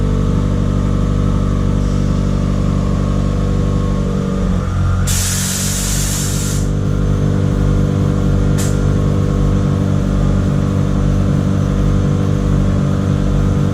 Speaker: like that fixed it all right so i actually just finished up the recalibration on it everything's working good